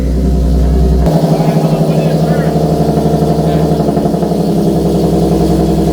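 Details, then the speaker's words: Nissan 370Z with VQ VHR engine after swapping in a used transmission, fixing earlier clutch and gearbox issues: the engine pulls cleanly through changes with no whine, grind or clunk. It selects all seven gears with no false neutrals; the transmission is healthy. "no dude it does all seven gears all seven gears no neutrals"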